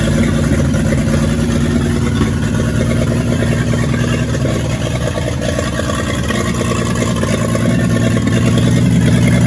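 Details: 1942 Chevrolet G506 truck engine, first run after revival on a 12-volt battery with the distributor adjusted. It won't idle without the choke and the idle can't be brought down, and the mixture screw makes no difference. Steady deep rumble at high choke idle with no knocking. Sounds healthy.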